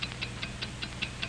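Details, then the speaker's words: Hamilton mechanical watch, 1949: crisp even ticking at five ticks per second, a healthy watch beating steadily and accurately. "what do you hear it's the ticking of a fine watch wherever you go whatever you do America's fine watch ticks steadily accurately on five ticks every second"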